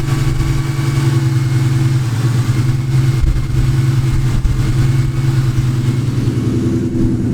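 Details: Nitrous Ford Mustang after fitting a new belt idler pulley and tensioner to cure a new engine noise: steady, even engine hum with no squeal, chirp or rattle from the belt drive; the accessory drive sounds healthy.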